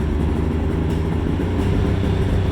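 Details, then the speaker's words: Polaris Ultra 680 triple two-stroke, freshly rebuilt, heat run during break-in with stock exhaust: steady, deep, even burble with no knocks or rattles; idling smoothly and sounds beautiful. "Oh, it just sounds beautiful."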